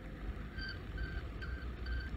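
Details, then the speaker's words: Hoverboard with about 450 miles of use, riding: short high beeps about twice a second over a low rolling rumble. This is the warning that the maximum tolerable speed has been reached. "hear that that beeping indicates that you've reached the maximum tolerable speed for the system"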